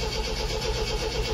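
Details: 1974 MGB GT, first start attempt after 7-8 months sitting, choke used, battery going flat: slow rhythmic starter churning with no catch; cranks but won't start, rev counter not moving, owner suspects no spark.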